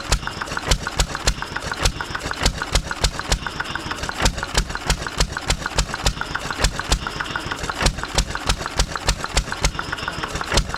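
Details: 1920s Taylor Model B hit-and-miss vacuum engine, long unused, restarted after fuel work, choked to burn old gas; sharp exhaust pops about three a second, uneven gaps as it fires and coasts, loud muffler, running properly, steaming in heat.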